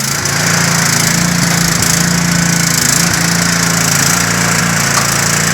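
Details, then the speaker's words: White Outdoors WLT-160 riding mower after replacing the upper and lower drive belts: steady engine drone with no belt slipping or squeal; it drives forward and reverse, though the engine smokes from an overhead valve gasket oil leak. "Okay, so like I said, the engine's smoking pretty bad. It definitely needs some work. However, this machine definitely drives now, and it goes forward and reverse."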